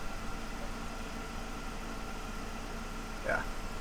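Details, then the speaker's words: BMW E46 M3 with SMG transmission: steady idle with thin constant whine and brief chirp; owner suspects the starter keeps running after the engine starts, with smoke and electrical smell under the manifold and a slow start. Cause suspected, not confirmed. "so what's happening every time I try to turn on the car the starter continuously runs and it doesn't stop even after the car is turned on"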